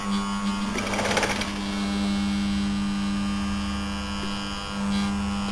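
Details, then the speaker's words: Scrapped air-conditioner compressor, casing very hot, hoped to get oil into the bearings: a loud constant hum with no rise in speed, stalled and never starting. Soon afterwards it went open circuit. "that's impressively hot impressor itself yeah I don't want to touch that too long there we go this might get some oil into the bearings"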